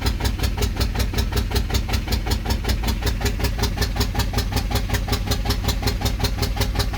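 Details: VW 1.9 TDI PD BXE 105 hp (77 kW) after new cylinder head, camshaft, hydraulic lifters and cam bearings, cleaned old injectors, fuel bled, timing locked at 0.0, no ECU errors, exhaust off turbo with black smoke: steady cranking, about three compression beats a second, never firing.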